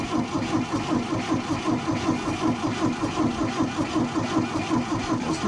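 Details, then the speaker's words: Old tractor attempting a cold start on a near-freezing morning, battery fine: slow, steady cranking around eighty beats a minute with uneven firing and smoke, reluctant to catch; hard starting. "not keen on running. Battery's obviously all right."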